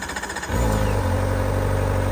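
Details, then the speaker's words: 2023 Kawasaki ZX-4RR with 400 miles and stock exhaust, cold start: a half-second pulsing crank, then the four-cylinder fires and holds a smooth, high, even idle showing about 1750 rpm against 1400 in the manual; normal cold start. "see at idles it indicates about 1750 but the manual says 1400 I know the speedometer is pretty optimistic I'm sure the RPMs probably are too but it sounds pretty good just purrs like a little kitten"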